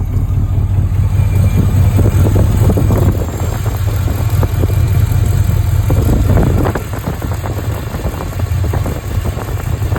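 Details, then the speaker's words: 1983 Capri with factory cast exhaust manifolds, apparently no gasket, engine running: deep idle with sharp puffing ticks in step with firing, hot air felt blowing out; exhaust manifold leak at the head. "See that right there? There's actually I can feel the air blowing out of that guy. Yeah, it's hot right there."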